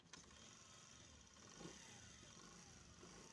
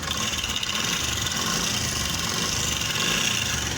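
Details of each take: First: Honda CD 70 motorcycle after replacing loose timing chain with new one: quiet, even, smooth idle, no chain rattle or ticking. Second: Honda CD 70 motorcycle idling with a fast, dry metallic rattle from a loose, worn timing chain. Fixed by replacing it with a new Mitsubishi timing chain.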